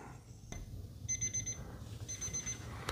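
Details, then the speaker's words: ANENG 613 multimeter's built-in alarm clock, programmed for 3:37; faint high-pitched chirps in groups of four, barely above room noise, far too quiet to wake anyone; continuity beeper maxes around 63.2 dB. "so what's going off can you hear that I mean it is so so low is that going to wake you up I don't think it's going to wake me up"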